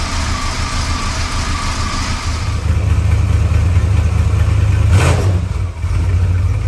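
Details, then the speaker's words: 1977 Chrysler Newport, 400 V8, cold start below freezing after sitting about two months: a deep, uneven idle lumping at about three pulses a second with a loping, stumbling beat. It runs rough; the owner suspects plugs and wires, possibly the spark control computer. "there we go and it's running a little rough let it idle for a little bit"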